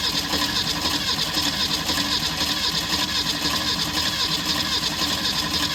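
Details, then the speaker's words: 1964 Ford Falcon wagon, sat 46 years, cranking after a new fuel line with built-in filter was fitted: even cranking about two beats a second, busy whirring starter, no catch; no fuel seen in the filter. "I'm not seeing any fuel here. I don't think it's pumping fuel from the back."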